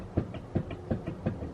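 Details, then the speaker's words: Lexus RX350 rear wheel bearing: dull back-and-forth clunks as the wheel is rocked by hand; the bearing is completely loose and dangerous, and the hub/bearing is being replaced. "okay so the first sign you have a wheel bearing problem is this you can hear the noise"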